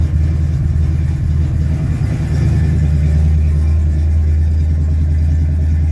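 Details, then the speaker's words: 1967 Chevy C10, cold start after sitting 2–3 days: a deep, loud, uneven rumble with an open bark at cold idle; the owner says it is noisy and needs a muffler. Loud exhaust with no muffler. "God, she's noisy. I need a muffler."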